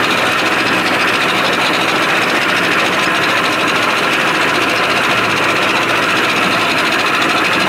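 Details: 1987 Johnson 70 hp outboard, shift linkage adjusted and new thermostat, after cold start in neutral: steady, buzzy two-stroke idle with even rattle, no stumbling or surging. Normal idle; stalls under load.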